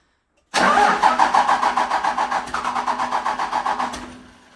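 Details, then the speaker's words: Dodge Power Wagon after swap to a lower-mileage Cummins diesel and G56 6-speed, first start: cranks and catches, then runs uneven and lumpy, stumbling like a missing cylinder; owner suspects air still in the fuel system. "Starts. Doesn't exactly sound great. Sounds like it's missing on the solver."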